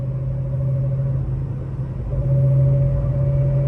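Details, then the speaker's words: Gen 1 Mustang on the road, steady low hum with a clear whine from the rear, likened to a sequential gearbox, getting louder as speed rises; rear differential gear whine. "and here we are can you guys hear the whine from the rear"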